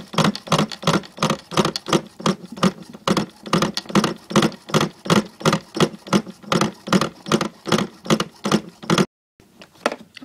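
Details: Pro Boat Miss Budweiser nitro RC boat: steady chuffing pulses about three a second as it is turned over, but it never fires. A no-start; fuel seems to reach the line, cause unknown.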